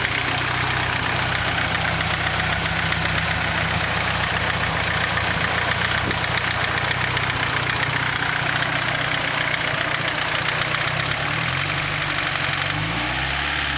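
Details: 240 with KA (ka-t) engine still making engine noise at idle: loud idle with uneven tapping about four per second over the engine drone; source not pinned down.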